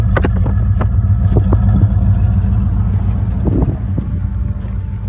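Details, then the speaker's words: 1975 Ford E100 van V8 running on gravity-fed fuel, alternator suspected not charging: deep, steady rumble picks up smoothly under throttle with no knocking or misfire; normal engine revving, sounds healthy. "man am I happy to hear that I tell you makes it all worthwhile"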